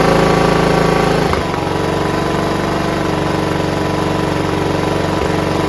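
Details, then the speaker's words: John Deere RX75 rear-engine riding mower, first run on its own after fuel line replacement, before ignition switch fixed: steady, even single-cylinder putter after brief hiccup, no misses or hunting; normal idle, no carb clean needed. "That sounds great. You don't need a carb clean now. It sounds fantastic."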